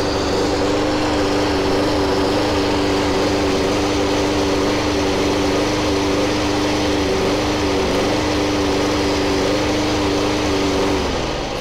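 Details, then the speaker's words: Masport 21" contractor push mower, about six months old, two engine malfunctions: engine at speed with uneven wavering beat and dipping drone — rough running; cause unclear. "just a six month old lawnmower that broke down on me twice cuts like crap and the engine sounds like that"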